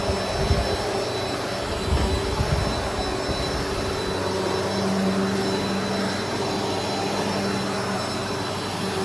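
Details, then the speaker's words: Trash-find Bissell PowerForce Helix Turbo vacuum running at nozzle height setting 3: steady high motor whine with a slightly rough, scratchy edge under the airflow roar. Motor a little scratchy, as expected; not junk but near failure. "So you'll hear it. The motor sounds a little scratchy. Nothing that I did not expect."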